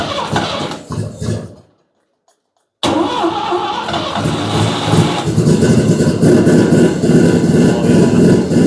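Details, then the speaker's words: 12A rotary engine in a 1963 Austin Healey, first run, carburetor with torn top gasket, muffler fitted: catches after brief silence and settles into a fast, buzzy, even two-stroke-like idle, cog belt barely audible; healthy running. "That is two-stroke snowmobile right there. That is cool. The muffler don't sound bad. No, it actually quiets it down a lot."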